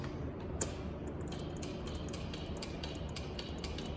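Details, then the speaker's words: Toro zero-turn mower with a no-start complaint, brake set, key on: one sharp click then faint ticking, the fuel solenoid pulling in properly with a good, hot battery; normal fuel solenoid click. "Fuel solenoid's working. Battery's good and hot."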